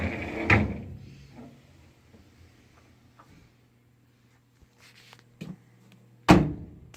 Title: Samsung Dryer making noise